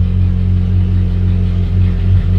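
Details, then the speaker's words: Ferrari 458 that had been surging and idling up to 7,000 rpm, a dirty sensor suspected: deep, smooth, even idle with no hunting, returning straight to idle after a throttle tap; apparently fixed. "seems to be happy if i give a quick tap on the gas comes right back to idle i think we maybe fixed it"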